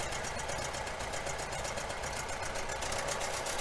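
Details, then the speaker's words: 1966 VW Fastback air-cooled engine, idling and revved: sharp rapid puffing ticks on every firing pulse; exhaust leak suspected where the heater box meets the head. "I think my exhaust leak is back here for the heater box goes to the head"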